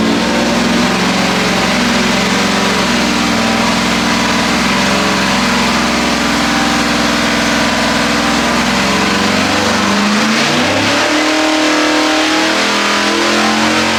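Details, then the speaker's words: Pump-gas 406 small-block Chevy with ported Jegs aluminium heads on the dyno, carb bowls jetted down three sizes front and rear: loud steady V8 drone, then the note sweeps with speed, smooth without misses or popping, so normal running. "Very, very, very sounded very good."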